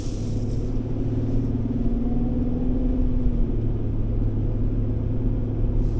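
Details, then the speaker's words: 2007 Ford Ranger 3.0L with A/C, driving after idler pulley replacement with original serpentine belt kept: low engine rumble and road noise, no belt squeak or chirp pulling away; the squeak on acceleration was likely the idler pulley. "well I don't hear the uh belt squeak anymore and if I'm honest I might be just content to keep the existing belt that was in there it looked good it didn't look like it was a problem it was probably just that idler pulley"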